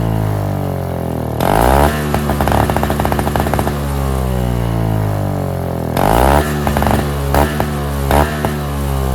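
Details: NOMA 4.5 hp Tecumseh two-stroke 21-inch single-stage snowblower, pull-started after the tar-clogged fuel filter was replaced: snaps up crisply on each throttle blip, drops back to steady, even idle. Runs great, normal.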